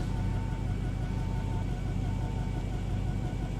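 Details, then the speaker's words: Camaro SS V8 at idle, just started after having trouble starting: a deep exhaust rumble that stumbles unevenly, a misfire heard outside though not felt inside; the temperature gauge wrongly reads overheating. "got a misfire you can hear it that's crazy because inside you can't really feel it"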